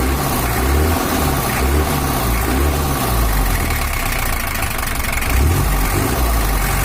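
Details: Toyota Hiace LH11 diesel after service for overheating and changing engine sound, with a larger cooling fan fitted. Steady, smooth low idle, deep even rumble, no knocks or misses; sound back to normal though not yet fully settled. Normal idle.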